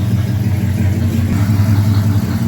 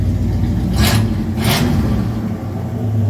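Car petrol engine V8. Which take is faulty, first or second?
first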